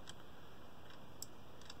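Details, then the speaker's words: RF-Kit B26 RF 2k amplifier kit calibration: faint, irregular light ticks over quiet room hiss as trimmer pot R19/R20 is turned clockwise past its end of travel, clicking at the outer limit. "well you can hear the clicking that we've reached the outer limit and we've gone beyond it"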